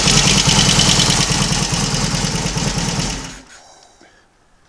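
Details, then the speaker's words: Royal Enfield Constellation twin, running on both cylinders from one carburetor, throttle cable snagging: even, steady thump about three beats a second with no misses until switched off; idling cleanly for the first time since arriving, normal idle. "it's running nicely for the first time since it's been here that's got to be a good thing"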